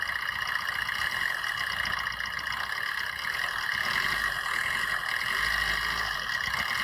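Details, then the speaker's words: Used car engine under gentle throttle during a pre-purchase inspection in India: light even hum swelling slightly, no knocking or tapping; engine judged fine. "मैं इसी तरीके का जो भी है जो ऑल बात नहीं आ रहा है इसका मतलब है कि इंजन सही है"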